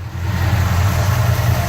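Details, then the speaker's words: Old Ford F100 after a new distributor, coil, plugs, wires and valve cover gaskets: a steady, even, smooth V8 idle with no knocks, misses or lope. Healthy, unlike how it ran when bought. "Now you can hear how just smooth she runs. I can't believe the way this truck ran when I got it."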